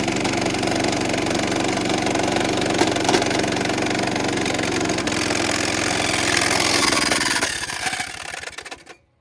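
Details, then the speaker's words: About 70-year-old vintage National reel mower, serviced and stuck reels freed, mowing: small engine chugs heavily and unevenly, strained under load, then sags and dies; labouring then stall, engine not seized, flywheel suspected. "Pop. That engine does not really sound happy. It sounds like it's working super hard."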